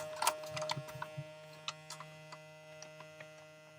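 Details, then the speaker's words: Small USB-powered vacuum pump for filament storage bags, run from a power bank: steady low electric hum with light ticks, even and unlabored, pulling strong suction and shrinking the bag; normal running. "You can hear and watch it, how it shrinks. This is more than enough suction."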